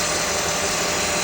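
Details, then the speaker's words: Honda K24 engine in a 3rd-gen CR-V just after serpentine belt replacement: steady, even idle hum with no squeak or chirp from the belt, smoother than before. "Sounds good. Sounds smooth. Very good. Smoother than before."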